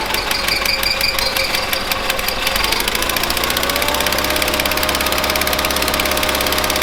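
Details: 1970s Bolens QT16 garden tractor, long unused with old gas and gravity-fed fuel to the carburetor: engine hunts and stumbles at idle with ragged firing, about half choked; rough running, carb needs cleaning out.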